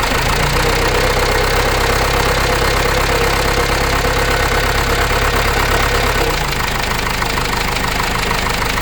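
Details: Case 586E Cummins 4BT diesel after teardown: idle with rough repeating knock about three per second over the clatter, not cleared after restart; cause unknown.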